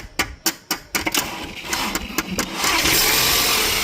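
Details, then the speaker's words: Audi Q3 that died while driving, code P3054 starter does not turn; starter under the airbox tapped with a power bar: about eight sharp metal taps, then the starter catches and the engine fires into a steady run; sticking starter. "So we got the starter to kick in. Just hit it a couple of whacks with the power bar and that's it."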